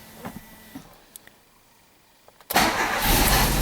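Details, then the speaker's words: 1994 Alfa Romeo 33 Imola, 1.4 L 90 hp fuel-injected boxer four, after bad spark plug wires were replaced. It starts right away on a touch of the key and settles into an even run. Plugs were somewhat fouled from running without spark; normal start. "it starts right away with just a touch of the key"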